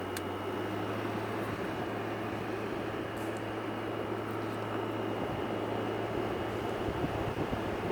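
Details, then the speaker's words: Arctic King air conditioner, reassembled after its fins were power washed, with a steady compressor hum under even fan air; blows nice and cold, hot air out the back, and works normally. "You hear the compressor running. Wow, that's nice and cold. Works good."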